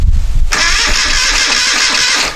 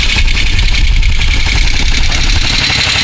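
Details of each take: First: 1973 Moto Guzzi twin, first start attempt after decades off the road: oil full, carburetor tickler primed, key on; starter spins about two seconds with even, firm compression pulses but never fires. Spark verified; fuel supply suspected. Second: 1973 Moto Guzzi V-twin at first run after decades off the road, carburetors cleaned and tank coated: steady idle with busy, slightly uneven beat and top-end clatter; rough but acceptable, seems fine.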